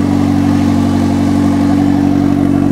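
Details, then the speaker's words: 1996 Honda Civic D16Y7 freshly fitted with a home-installed eBay turbo, no exhaust pipe fitted: loud, steady, even drone with no knocks or misses, turbo spinning; first start after install, normal running with open exhaust. "Turbinho ali girando. Ligou, galera. Ligou. Turbinho tá rodando, ó."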